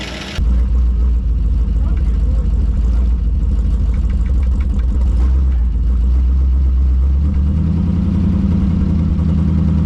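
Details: Early-1960s Ford F100 big-window shortbed unibody, abandoned 25+ years in North Carolina woods, first start: deep even idle and smooth throttle blip, no misses. Lifters a little noisy, exhaust leaking, oil pressure over 60 psi; motor sounds good.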